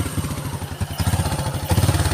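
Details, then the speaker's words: Honda Karisma single-cylinder at idle: won't hold a steady idle despite air-screw adjustment, surging and sagging, sometimes racing, sometimes dying; also hard morning starting, heavy fuel use, sooty plugs; unstable idle. "tapi tetap enggak mau langsam disetel juga k ini mau disetel anginnya setel angin kayak apa aja tetap enggak mau enggak mau stabil malah kadang ngabur kadang eh normal Nanti kadang mati sendiri kayak gitu ya"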